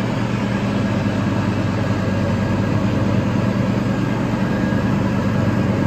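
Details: Toro TimeCutter 5000 zero-turn mower after maintenance with the deck refitted, mulching leaves: steady, even engine drone with a low hum underneath, no knocks or misses; running normally.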